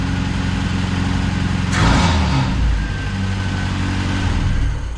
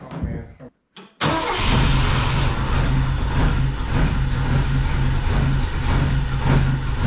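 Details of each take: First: Saab Sonett, previously not running, after replacing the distributor rotor, which the owner believes had failed: it catches after a short crank and runs steadily and evenly with a light rev. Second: Saab Sonett cranks on the starter with a steady pulsing whir but never catches; spark reaches plugs one and four, but the distributor went in 180 degrees out, so ignition timing is off and the distributor must be flipped.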